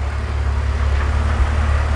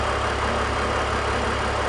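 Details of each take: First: BMW E46 330i/325i with valve cover to oil separator tube disconnected creating a large vacuum leak; raised-rpm drone with uneven stumbling beat, engine missing, fuel trims climbing past 20%, setting P0171/P0174. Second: BMW E46 330i/325i idling normally after fixing a vacuum leak; smooth, even idle with steady low hum, no hunting, hiss or misfire; fuel trims returning to normal.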